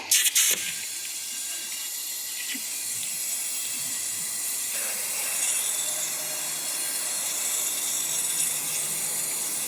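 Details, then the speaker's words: 1977 Datsun L28 inline-six, off the road since 2010, engine stopped during cylinder leak-down test: steady high airy hiss of escaping air, pretty high leakage. "Okay. So, that's not good. We've got a pretty high leak there. Let's see if we can hear where it is."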